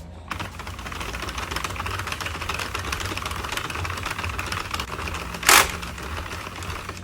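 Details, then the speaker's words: Sentro 48-needle knitting machine being cranked: steady rattling clatter with one sharp louder click marking each completed row; row counter working normally. "So that sound, that clicking sound, is saying that it's done 1 row, which is a good indication of how many rows that you're doing if you want to count each row at a time."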